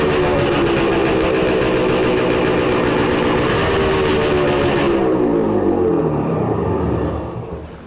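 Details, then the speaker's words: 1966 Suzuki Bearcat 120cc two-stroke revived: crisp, even idle with steady buzzy beat, winding down at shutoff; engine sounds healthy, to be heat cycled to find an oil leak. "Sounds so good. Let's push this thing outside so we can let it heat cycle."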